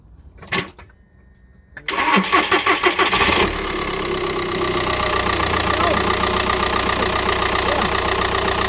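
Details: 2009 Seat Leon with noise near crank pulley and oil leaks, after refitting a part: engine fires after short crank and settles into a smooth steady idle with no belt squeal or chirp; normal idle.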